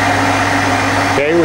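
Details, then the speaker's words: 1986 Okuma & Howa Millac 4VA CNC vertical machining center, Fanuc 11M, CAT-40 spindle (60–6,000 rpm, 2 steps), stepped through 2,000–5,000 rpm after gear change; sensitive camera mic. Steady low hum with clean higher tone, no knocks or grinding; spindle quiet and smooth. "this is a pretty sensitive um microphone on this camera so uh i'm sure it's magnified what uh spindle noise you can hear but it's nice and quiet"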